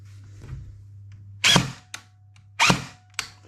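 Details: Brand-new JG SIG 552 airsoft AEG on a 7.4V LiPo, two single shots with a harsh screeching grind of gears over room hum; an incorrectly shimmed gearbox, fixed by reshimming with no new parts.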